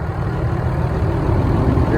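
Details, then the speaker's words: 2012 Ram 3500 with the 6.7L Cummins diesel, started after replacing a failing alternator and reconnecting the battery: steady low diesel clatter at idle, even with no misses or knocks. Normal diesel idle. "All right, then we'll start it up. All right, so got the RAM running again."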